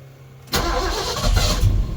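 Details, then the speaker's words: Big block Ford with 750 CFM Brawler carburetor, cold start at about 30° with choke set: catches abruptly, runs loud and uneven, surging and stumbling while still flooded; rough running just after start, throttle used to clear it. "Oh, still flooded. Come on, baby. Still a little rough. I'm going to give it just a little bit of gas and try to get it to clear out."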